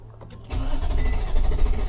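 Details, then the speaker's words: 2015 Infiniti QX80 after an ECM swap with the original EEPROM data transferred, setting code P0300. It cranks with a lumpy, uneven beat, some strokes dragging harder than others: a compression fault. Suspected hydrolock from injectors stuck open by the failed injector circuit. "That's compression. That's what you're looking at, man. Likely an engine."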